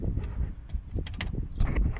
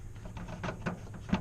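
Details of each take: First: Knuckle taps on the door panel of a 10th gen Honda Civic Si stop dead with no buzz or rattle, after damping behind the panel to fix vibrations from aftermarket speaker wiring; panel quiet apart from one spot. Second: 10th-gen Honda Civic Si with the door panel off and aftermarket speakers fitted: light taps on the door bring a faint buzzy rattle after each knock. Owner suspects the speaker wiring he installed, possibly also something in the door mechanism.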